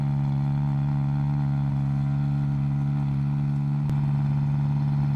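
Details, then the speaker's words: 1971 Vauxhall Firenza SL 2000, LHD Canadian import, owners believe displacement is now above 2000cc, warming up: deep thick steady idle with firm even pulse, no misfire or ticking; running cleanly. "we're pretty sure this is no longer a 2000 cc car and so we'll go up in displacement it'll also run more like this just low and thick and rumbly"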